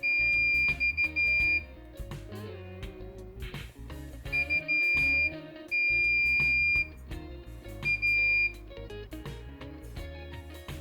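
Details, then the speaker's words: Samsung UE32F5500AK Smart TV with sound but no picture, T-Con board tested with multimeter in continuity/diode mode: steady high beeps about a second long each time probes touch the surface-mount capacitors; capacitors reading short, T-Con faulty. "As I'm touching most of these capacitors, we can hear that they are reading short."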